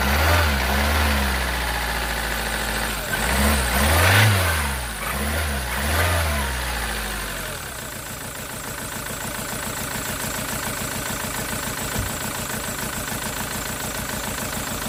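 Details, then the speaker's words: SsangYong Musso diesel, first start after engine rebuild, fuel system possibly still airing: it catches, revs, then settles into a lumpy idle with an uneven beat of about four per second. Misfire detected from a failed number two injector, later replaced. "so she's running mint now it was number two injector that was knackered and I had one in my toolbox so I'll put that in there and it's running nice so that's what I added I had misfied detection on cylinder"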